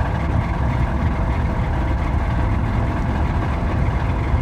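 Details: Mazda engine at its moment of death: rough heavy idle with dull uneven thump in the low end; bottom-end rod knock.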